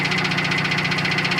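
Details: Built 400hp Subaru Outback XT on quick jacks, intermittent noise over 2000 miles: fast even ticking knock about eight a second from under the car; located away from the engine, owner suspects front diff, flex plate to be checked.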